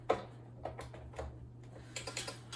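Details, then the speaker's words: Herman Miller motorized standing desk motor controller, just reinstalled with the power cable plugged back in. A few sharp, light clicks at uneven spacing over a faint hum tell you it is ready. Normal power-up relay clicks. "Okay. Hear it click a few times, letting us know it's ready."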